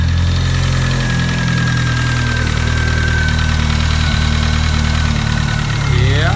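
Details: Mitsubishi 4G63 after a crank, bearing and oil pump replacement for a failed thrust bearing and crank walk, and after a loose pulley-rubbing bolt was fixed: smooth, steady cold idle with an even hum, no bottom-end knocking or ticking.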